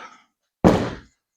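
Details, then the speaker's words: 1993 Evinrude 115hp outboard with a cleaned-up fuel solenoid, on a battery of doubtful condition: one solid clunk as the fuel solenoid pulls in; whether fuel actually flows is unknown. "Well, the fuel solenoid clicks. I don't know if it works. That's a good sign."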